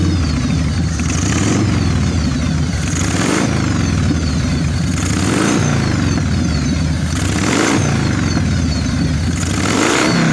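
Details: 1996 Harley-Davidson FXSTSB 1340 Evolution with Mikuni HSR 42 mm carburettor, after cleaning and setting idle mixture 1.5 turns and accelerator pump: lumpy V-twin idle, repeated revs pulling cleanly and settling back; mixture sounds right.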